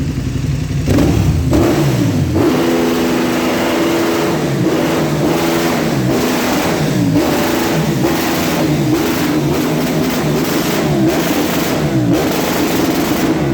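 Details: KTM with a straight-through exhaust revved in bursts: a sharp, hard rapping through each rev. Engine knock, cause unknown.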